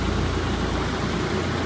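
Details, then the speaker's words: 1996 Mitsubishi Lancer Evolution IV GSR with the hood open, at idle: steady, even engine under a smooth whoosh from the radiator fan, no knocks or misses. Radiator was replaced new and fluids flushed before shipping. Normal idle with the fan running. "obviously you can hear the fan running like I said there is some Rust and stuff here just because it's obviously an old vehicle"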